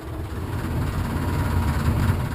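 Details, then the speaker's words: Furnace blower running: heavy low rumble with uneven throbbing rattle, indicating an imbalanced squirrel-cage blower wheel. "if your furnace has a rattle similar to this one it's an indicator that you have an imbalance at the squirrel cage"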